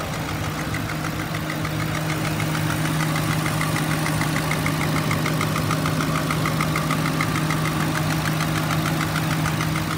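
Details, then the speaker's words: 2009 Ford Crown Victoria Police Interceptor, 4.6L V8, automatic: light quick ticking, about three a second, over a steady V8 idle, cause unknown; oil burning smell when warm, seepage, suspected valve cover gaskets. "i can hear slight ticking coming from the engine"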